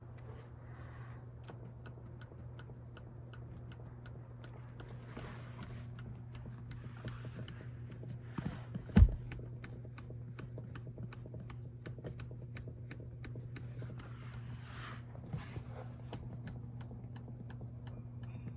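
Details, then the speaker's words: Rivian passenger seat, empty, clicking and creaking over rough roads with sharp irregular clicks about twice a second over cabin drone; fixed by lubricating with Würth HHS. "I was having trouble with the passenger seat making a a um like a creaking or a clicking sound over rough roads when um the seat was empty"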